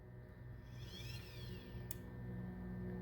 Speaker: you hear the click and then it comes back. So once again, I'm going to open it, and you're going to hear that it's silent as it turns the gears here.